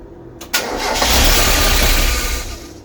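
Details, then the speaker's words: Mk1 Mazda MX5, first start since reassembly after sitting a long while, on a battery charger/jump starter: the starter cranks steadily but it never fires because the airflow meter was not put back on. "Should have thought I haven't put the airflow meter back on. Try again."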